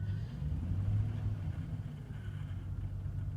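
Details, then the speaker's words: 2003 Chevy Trailblazer EXT 5.3L V8 after cleaning caked throttle body and MAF sensor: idle steady at about 700–800 rpm with electrical load on, low even rumble, no dips or hunting; earlier drop-and-stall problem solved, normal idle under load. "Excellent. Okay, well, that pretty much solved the problem. The engine is idling"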